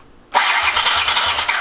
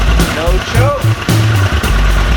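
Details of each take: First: 1981 Honda CX500 Deluxe barn find, ignition hot-wired and kill switch bypassed: starter whirs with slow, even compression pulses about three a second; engine turns over but never catches, cranking with no start. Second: 1981 Honda CX500 Deluxe barn find, after carb work, hot-wired, kill switch removed, on choke with a few ounces of gas: low, lumpy burble surging unevenly but it keeps firing; the engine now runs.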